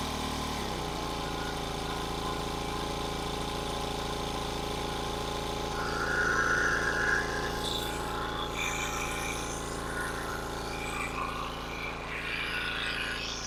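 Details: King Canada 1500 W generator (rated 1200 W) powering a 1500 W heater on medium, about 1200 W: steady even drone under heavy load with no surging or misfire.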